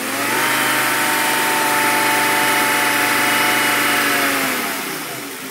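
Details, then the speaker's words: 1997 Volvo 850 GLT turbo, clean engine, revved lightly after startup; smooth even note rising and settling, runs super quiet with no knocking or ticking. Normal revving. "all right run super quiet no knocking no ticking absolutely as it should be go ahead and rev it up a little bit"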